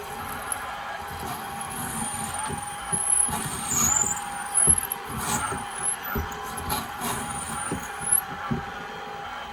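Steady motor hum with a thin high whine that bends as the cutter loads and eases; the mill is running normally and cutting.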